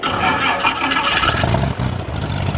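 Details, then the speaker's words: Corvair flat-six in an experimental light-sport plane, cold start; it catches into a rough, throaty run that quickly firms into steady low pulses, a normal start. "Oh yeah. Wow, that sounds meaty. That is so cool with it being a six cylinder. It really has a nice sound to it."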